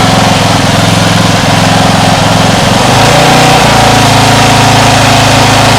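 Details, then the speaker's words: Homemade air-cooled outboard built from a lawn mower engine runs rough at low throttle, note wobbling and stumbling unevenly before steadying; owner thinks idle may need setting higher, and suspects water caused quitting. "it's not that happy running at low low throttle maybe it just needs adjusted a bit higher and then I just have to live with that extra RPMs"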